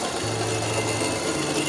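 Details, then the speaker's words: Chery Arauca A1 engine at first start after timing belt kit replacement per service manual: settles into even idle after a slight initial miss, steady low hum that steps up once is the A/C compressor; engine otherwise excellent. "este ruido que se cursa allí es el compresor del aire acondicionado pero en términos generales el motor transit excelente"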